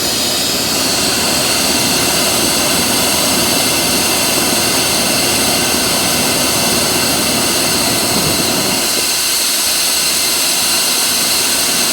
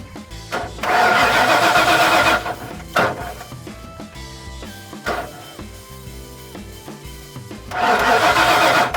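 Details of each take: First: 1996 Ford F250 4x4 460 V8 (OBD1), warming up after start: steady loud even idle with no misses or knocking; fuel about a year old, oil still old; normal idle. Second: 1996 Ford F250 4x4 460 gas, OBD1, crank test with fuel pressure gauge: two bursts of steady starter cranking, never catches; zero fuel pressure instead of 75–100 psi, fuel pump suspected.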